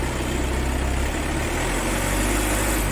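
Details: Volkswagen Taigun after battery replacement (old battery had poor health, bad cell, low gravity, caused crank-no-start): smooth, low, even idle hum with no knocks, ticks or stumbles; engine healthy, starting problem solved.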